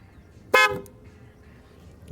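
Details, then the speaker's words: 2008 Dodge Nitro after a water pump repair with the battery disconnected: a single sharp horn toot as power returns. The anti-theft alarm sets off the horn and blocks starting; fix is disconnecting the negative cable with ignition on and reconnecting. "sino el carro no va a prender ya sea que los accesorios todo se vuelve loco como los parabrisas las cornetas se activan por la alarma está trabajando bien"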